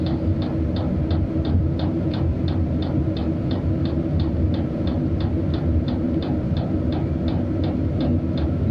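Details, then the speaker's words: Cheap Chinese diesel heater at a cabin in late fall, set at 19–20 °C, 11 V, unit output 148 °C. Crisp fuel-pump ticks about three per second over a steady fan roar as the H setting is raised; it runs normally and blows heat. "it definitely gets faster and slows down once we turn it down there so I'll sort it out guys I'm just happy it's working we've got it kind of sorted out here we're blowing heat now"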